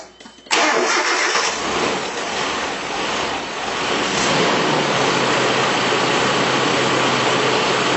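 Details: Truck engine cold start after sitting overnight, following timing chain guide adjustment on an older engine with startup rattle; catches at once and settles to a smooth, even idle with no startup rattle or growl from the timing chain.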